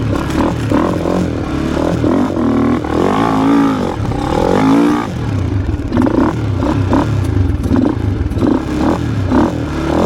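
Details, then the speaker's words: Yamaha Blaster two-stroke after carburetor cleaning to fix bad running and bogging: revs rise and fall with throttle and pick up without obvious bog, running a little better. "well we got the carburetor all cleaned out seems to be running a little better"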